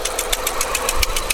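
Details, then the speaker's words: 2001 Skoda Octavia 1.8 turbo petrol at steady idle: sharp even knock about seven a second appearing when throttle is pressed; owner suspects hydraulic lifter or broken rocker. "нажимаем и одновременно появляется стук здесь похоже на гидрокомпенсатор или который компенсатор или а рокера какой-то сломаны или что-то такого"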